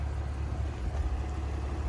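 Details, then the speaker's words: Supercharged BMW E46 330i at 247,000 miles after rebuild: steady, even low idle rumble, with the earlier ticking gone; a stuck lifter is suspected to have been the cause. "the ticking is gone stuck lifter maybe I think yes let's go"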